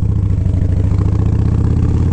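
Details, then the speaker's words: 1983 Harley FXR after repair, running: even, deep loping V-twin pulse with no misses or clatter; sounds really good and clean, normal running. "definitely sounds really good really clean"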